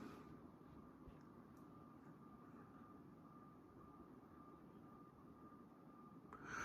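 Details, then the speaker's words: 1989 Homestead Chippendale 56-inch ceiling fan, sat new in box about 30 years; soft steady whoosh with a faint constant motor hum, no rubbing or ticking, bearings silent. "Yeah, there's a very good breeze coming from it. The motor is a little noisy though. I can definitely hear that motor. Bearings are dead silent, though."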